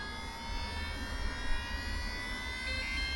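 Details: Losi Pro Moto MX RC bike after power-cycling the bike and handset to clear a gyro warning, now recognized. A smooth, steady high whine over a low motor hum, holding pitch evenly: the gyro flywheel spinning up normally.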